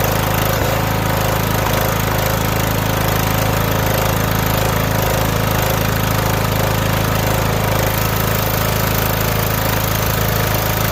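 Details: Riding mower, started on choke: a steady, even low drone with a regular beat, no surging or dying, running smoothly on its own gas tank.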